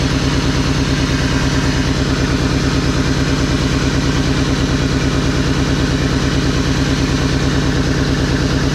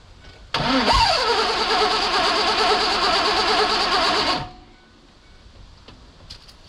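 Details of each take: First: 2001 Mazda B3000 with LS engine swap, started after sitting 18 months, idling after warm-up: deep steady idle with a regular pulsing lope; owner suspects a slight exhaust leak somewhere. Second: 2001 Mazda B3000 with LS swap, sitting 18 months, no coolant in: fires up cleanly after a brief crank with good fuel rail pressure and runs steadily for a few seconds; starts fine.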